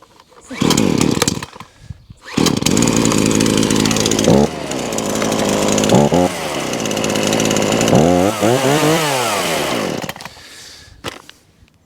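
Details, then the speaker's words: Titan two-stroke chainsaw after new primer bulb and pull cord fitted: fires up, idles, revs cleanly through several throttle blips without bogging; normal running, repair successful. "stop starts does what it should do"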